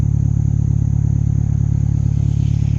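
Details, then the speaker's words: Turbocharged Honda after an oil leak fix, plug hole to be rechecked: even, steady low pulsing idle with no skips or stumbles, every cylinder firing cleanly; healthy smooth idle. "I mean, it ain't missing a beat, man. Like, it's idling beautifully."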